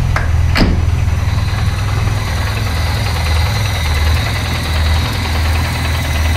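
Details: Peugeot 205 first start after 4 months of work, engine rebuilt with 206/306/Saxo flywheel and new clutch, firing order changed to 1-3-4-2: idle surges and dips about once a second, lumpy and uneven.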